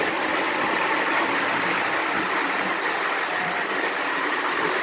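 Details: Lionel gunmetal 1666E locomotive, run alongside an older gunmetal loco pulling passenger cars: steady whirring roll with light uneven track clicks, no grinding or squeal; runs smoothly.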